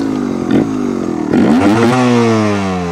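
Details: 2022 Vertigo Nitro 300 two-stroke trials bike: crisp two-stroke crackle climbing smoothly in pitch as the throttle opens and holding clean at high revs; engine sound praised as healthy.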